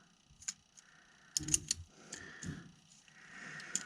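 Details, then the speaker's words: Bus-to-RV conversion windshield wiper circuit: sharp light clicks at irregular moments as something clicks off when the button is pushed or power turned on; wiper wire reads constant 12 V; owner suspects crossed wires or a short toward the wiper motor. "so when i push the button something in here clicks off and also when i turn it on it clicks off"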